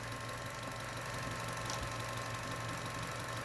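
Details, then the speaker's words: Chevrolet Cruze 1.4 turbo at idle after EVAP purge solenoid replacement: steady, even idle with a low hum, and the plastic ticking/rattling is gone. The purge solenoid, not the timing chain, caused the noise, which appears once the engine is warmed above 176 degrees; normal idle. "there we go daddy that purge solenoid isn't making that plastic rattling noise anymore"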